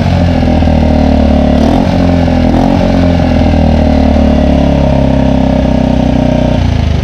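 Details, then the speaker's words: Mercury 4-stroke outboard (3.5–6 HP class) after a carburetor replacement for a start-then-die fault: a steady, even low rumble that holds speed without stumbling or dying. Running normally. "now we're gonna pull it a few times the ball will fill up this will crank up"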